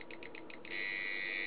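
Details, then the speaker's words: 555 timer astable circuit driving a buzzer from pin 3, LDR timing with a 2.2 µF capacitor: clicks run so fast, about nine a second, that they merge into a steady, shrill high-pitched buzz; normal operation. "clicking through goes so fast we're getting a kind of a buzz now and more of a bus so that's 2 point 2 micro farad this is point 0 1 micro farad 10 nano farad"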